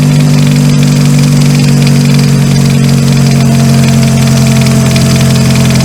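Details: 2000 Ford Focus, after replacing the seized AC pulley bearing that had prevented starting: smooth, even low idle with a steady hum and no knocks, squeals or misses. Running healthy.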